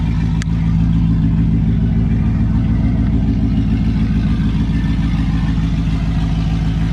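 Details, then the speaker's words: LS1 V8-swapped Nissan Patrol, first start after sitting a while on a freezing day, backfired during cranking, fuel possibly low; deep even burble at raised cold-start idle with slight cam lope, no knocks; idling smooth, normal. "But she is running. Holy shit. Idling pretty smooth. So it's got a cold start idle obviously,"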